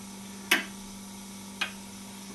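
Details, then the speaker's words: Homemade clock with brass escapement wheel, aluminium pallet and pendulum rod, simply stood on a table: crisp, evenly spaced tick-tock about once a second in a quiet room. Normal even clock tick. "And you can hear by the ticking it's quite even, although I've just again stood it on the top of this table."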